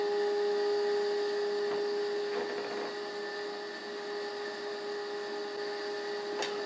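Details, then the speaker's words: Old oscilloscope cooling fan running during IF alignment of a restored Philco 90 radio: steady high electrical whine with a faint ragged whir behind it. Worn, tired scope cooling fan. "don't worry about the noise that's just my raggedy old scope fan cooling fan"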